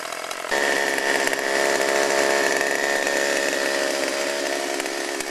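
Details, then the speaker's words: Chainsaw running on old stored boat and chainsaw mix blended with new alcohol-free fuel, cutting wood: high, steady two-stroke buzz that holds pitch without sputtering or surging; running clean. "say fuel mixing was a success it's is running right fine sounds good"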